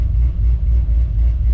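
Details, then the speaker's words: Low Country OBS truck V8 after spark plug wire replacement: steady, even low idle rumble, no skip; scan tool shows 3,700 total history misfire counts (cylinder 5, following 6 in firing order, had been misfiring) but current 0 on every cylinder; normal idle. "But you can see we had 3,700 counts of a misfire, but current is 0 on every hole, so we're good."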